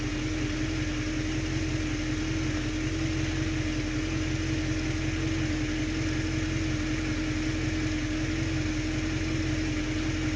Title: 66 stang rough idle after start-up